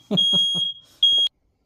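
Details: Shrill smoke alarm chirps, three quick then one more, set off by exhaust from an unmuffled International Harvester Farmall 450 tractor started indoors in a shop while it backfires through the carburetor.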